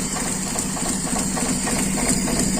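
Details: Carburetor air-screw adjustment session, revs raised with gas worked by hand and the accelerator pump not yet fitted, which runs uneven and stumbling with irregular skips; a spark plug cable was later found unconnected, so one cylinder is misfiring.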